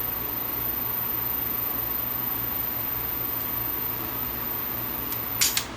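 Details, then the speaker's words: Vintage Superscope C202LP two-speed mono cassette recorder (Marantz design) after overhaul: steady quiet transport hum, then sharp clicks as auto-stop trips when take-up reel is stopped. Auto-stop tripping correctly. "it stops and then it will trip like that. So, you see how the auto stop works on this when it's running like it's supposed to."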